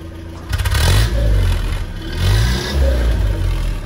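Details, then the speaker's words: Land Rover Series 3 after installing a PCV valve, warmed up and running without choke; sharp throttle blips bog horribly before climbing, which did not happen before the valve was fitted; owner plans to redo the timing, cause unconfirmed. "If I sort of stamp on the accelerator, It hesitates horribly. And when it was warm, before I put this valve in, it didn't do that."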